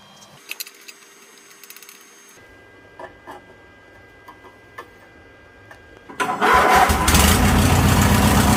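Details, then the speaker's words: 2000 Craftsman LT1000 with a Briggs & Stratton 21HP L-head twin, after carburetor and fuel pump rebuild to fix a fuel-pump leak: clicks, then catches and settles into a steady, even run. Runs normally and no longer leaks fuel. "Sounds good, and it's not leaking no more fuel."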